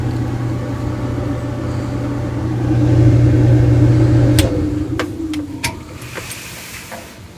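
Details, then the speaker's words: GE/Frigidaire dryer run with the door switch held: steady low motor hum with no tumbling or drum thump, then winds down; motor spins freely because the rubber drum belt has snapped. "we should be able to hear the motor running but we won't see the tumbler turning as we know it's a rubber belt pretty easy to fix"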